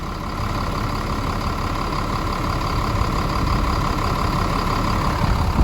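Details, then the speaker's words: Caterpillar 3126B diesel in a 2000 Holiday Rambler Endeavor, 92,000 miles, first start after oil pump and bearing replacement, oil pressure now higher: steady, even idle with a smooth low rumble, no knocks or ticks; normal idle. "There is absolutely nothing to complain about in that sound. Sound of cat power."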